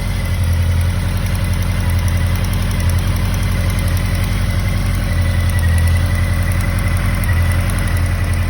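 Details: 2013 Honda CB motorcycle at idle: fast, light ticking about three or four per second over a low thrum; source of the tick unclear.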